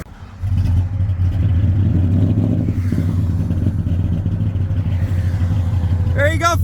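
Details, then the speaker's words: Mercury Marauder-engined Crown Vic (Mach 1, Panther, non-Terminator 4-valve V8) after the engine blew on the highway, dipstick bent, oil level OK, smoke from air filter: loud uneven lumpy rumble at idle; rough running, owner suspects piston failure. "I don't know if you guys can see it the smoke coming out the air filter now these cars are notorious for having uh piston issues"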